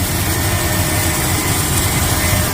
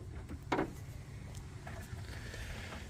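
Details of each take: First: 1995 Chevy Suburban after full fuel system restoration with new gas lines and tank, first start and run kept short pending a water pump: smooth, steady low rumble with an even beat, no knocks or misses; normal idle. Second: 1995 Chevy Suburban after a full fuel system restoration with new tank, fuel pump and gas lines, only about two gallons of fuel in it: slow, drawn-out cranking for several seconds before it catches and jumps to a fast idle; extended cranking because the dry fuel lines were not primed.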